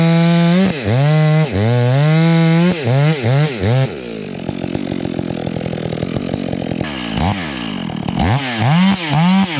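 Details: Stihl MS 461 chainsaw with Westcoast Saws kit (dogs, bark box, Maxflow air filter), limiters removed, carb tuned rich: revs up and down between cuts, burbling unevenly off load, smoothing in the wood; four-stroking, could be leaned for zippier running.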